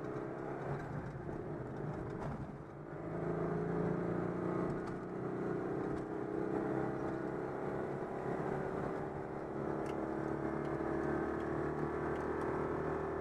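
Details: Citroën 2CV on the motorway at about 90 km/h after repairing an air leak in the fuel hose before the fuel pump: steady, even engine drone at constant pitch under road and wind noise, no stumbling or surging; running smoothly.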